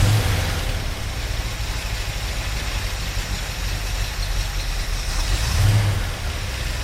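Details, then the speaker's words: 1972 Ford Mustang Mach 1 with a Ford 4300 carburetor, first start after the fuel tank install and a carb cleaning: a heavy lumpy harsh idle; the owner suspects the cold, though the exhaust doesn't smell very rich. "j'adore la façon dont ce truc semble un peu dur en ce moment, euh, ça peut être dû au froid aussi"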